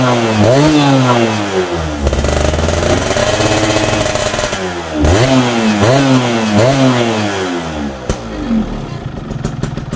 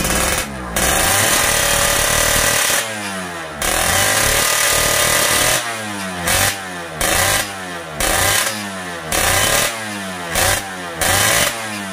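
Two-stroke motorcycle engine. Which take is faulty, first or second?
second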